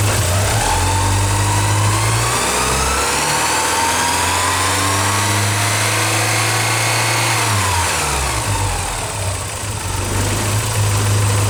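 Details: Early Porsche 944 petrol four-cylinder idling unevenly, with revs drifting up then sagging; the leaking fuel pressure regulator failed a 20-minute leak-down test and also caused near-stalling and bad hot starts, all cured by a new regulator.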